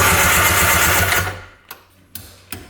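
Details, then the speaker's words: 1995 Arctic Tigershark Monaco 640cc jet ski, unrun 20+ years, engine not seized: fast rhythmic cranking for about a second, then cuts to a few isolated clicks; starter sticking intermittently, works after tapping it with a punch. "Oh, stopped again. So it's definitely the starter. We tapped on it and it just started working, so now we know for a fact it's a starter."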